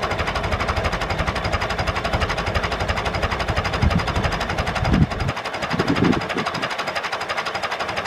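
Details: David Brown 996 diesel tractor, left sitting about 10 years, just started: even clatter at a slow idle, with a few brief handling knocks mid-clip; otherwise a steady, healthy idle. Throttle noted as stuck.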